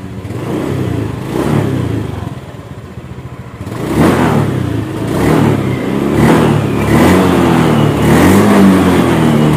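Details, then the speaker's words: Honda Beat scooter revved repeatedly after a faulty TPS/throttle body fault: each rev rises and falls cleanly, no hesitation, injection light no longer blinking. "jadi nggak ada lagi kata-kata merebet atau seperti habis minyaknya"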